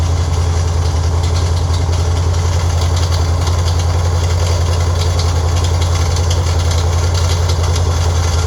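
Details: Freshly built Ford 302 V8 on engine run stand (forged pistons, hydraulic roller cam, aluminum heads, roller rockers, 600 Edelbrock carb): deep loud rumble at even idle with an uneven beat on it; mystery noise, source unclear.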